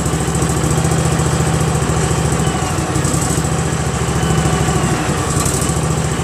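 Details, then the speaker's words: Craftsman GT6000 garden tractor repowered with a Briggs & Stratton Vanguard 16HP horizontal-shaft engine, first run: a steady, even low thump with no misses or knocks. It was later shut off by the black-wire kill switch. Normal running. "yeah that sounds great doesn't yep that was the shutoff this black wire kill switch was on"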